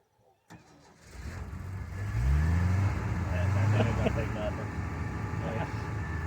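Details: 1979 Ford F-series High Boy truck, not started in about a year, with an aftermarket cam: cranks briefly, catches about two seconds in, revs once, then settles into a steady, even idle.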